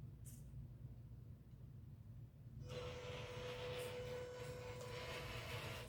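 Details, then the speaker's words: MN128 RC Jeep after washers were added at the body mount posts, lifting the body about 4 mm: a thin steady motor whine over a rumbling drivetrain hum, still audible but noticeably quieter. Damping reduced the drivetrain noise. "well you can still hear it but wow is it a lot quieter I don't know if you can hear it on the the video or not but here in real life it really does sound like it's quieter to me"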